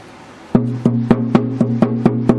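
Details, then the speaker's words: Circa-1884 Washburn instrument under restoration, body tap test after clamps removed; evenly spaced hollow knocks about three per second with a faint buzzy rattle tail; a loose internal brace is suspected, not confirmed. "can you hear that extra little rattle [Music] seems like it's right in here it seems like there's a loose brace"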